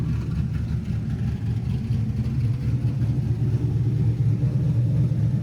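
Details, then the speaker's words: LS-swapped Camaro V8 on new 3-inch X-pipe exhaust, mufflers off; deep throaty burble, steady with slight lope, no ticks or misfires: normal idle. "This sounds way, way better. It's a long trip back from Mexico, but how could you not love that?"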